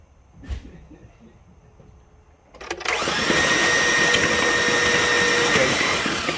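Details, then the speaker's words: 2003 Chevy Silverado 5.3 V8 from a rollover, hydrolocked, cranked longer with spark plugs out: starter spins the engine fast and evenly with no compression beats, clearing oil; starter then quit, suspected bad. "Crank it over for a little while longer. Let's just get everything out of it."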